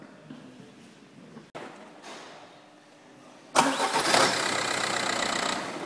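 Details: VW diesel car after starter motor repair (stripped mounting bolt thread in housing repaired, new bolt, worn brushes replaced): quiet lead-in, clean crank, engine catches and settles to steady run with no screech on disengagement.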